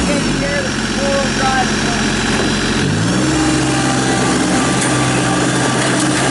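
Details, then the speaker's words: 2017 New Holland Boomer 24 compact tractor, 24 hp 1.3 L Mitsubishi 3-cylinder diesel, 329 hours, fully serviced with new filters: an even three-cylinder chug that steps up smoothly in speed, with no knocks, misses or abnormal noise. Normal running. "powered by a 24 horsepower 1.3 liter mitsubishi 3-cylinder diesel engine starch runs excellent no abnormal noise smoke blow by anything of that nature"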